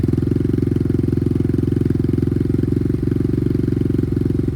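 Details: Apollo RXF 125 dirt bike idling with the new quieter exhaust, reading 61–62 dB: fast, steady low thrum at nearly four pulses a second with no misses or knocks; a small single idling cleanly.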